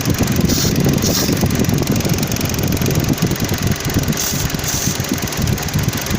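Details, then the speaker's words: 2009 Dodge Journey with rough idle and overheating: brake cleaner sprayed around the intake makes idle stumble and RPM change, indicating a leaking intake gasket causing a vacuum leak. "And if the engine changes RPMs or acts up in any way, then that's gonna tell us that we need to go ahead and replace the intake gasket."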